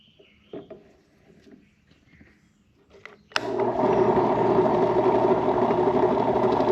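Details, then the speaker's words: Restored HDC DPMINI15 mini drill press, likely early 2000s, stored about 10 years, anemic motor, belt on slowest speed, drilling a large hole: motor holds steady even hum under load, no knocks or grinding; normal drilling. "It makes holes in wood, aluminum, and mild steel. I'll call that a success."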